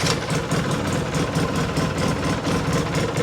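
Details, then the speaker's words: 2006 Polaris Sportsman 800 EFI twin ATV, 485 hours, 2,700 miles, in neutral after throttle body and plug cleaning with K&N air filter: steady even thump at fast idle around 1100–1150 rpm, no knocks or rattles; normal healthy idle. "Yep. Right up, 1100, 1150 right there."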